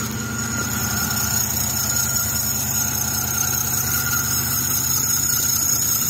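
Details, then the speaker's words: 2006 Chrysler 300 on cold start: steady high-pitched serpentine belt squeal over smooth idle, owner says it fades after 20-30 seconds warm; alternator pulley rusty, but mechanic suspects idler pulley or tensioner bearing, not confirmed. "Honestly, to me, it sounds like it's either this idler pulley or the tensioner right there."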